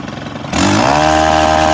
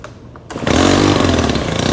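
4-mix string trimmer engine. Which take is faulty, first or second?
second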